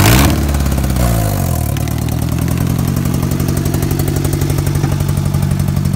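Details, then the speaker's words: Engine idling rough after a blip, steady light ticking over the rumble; owner debates rod knock, lifter tick or a broken valve (suspects valve since heard constantly), none confirmed. "well it sounds like a lifter tick might have been it's 14 I mean still idling like [ __ ]"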